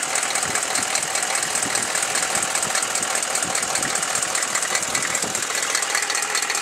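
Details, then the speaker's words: Chevy 6.5L diesel, warm idle after a throttle blip: rapid, fairly even knocking about two and a half per second over a loud harsh idle, worse after revving; owner suspects a valve or rocker arm, unconfirmed. "Just by it doing it when it warms up, that kind of leads me to make it be a valve."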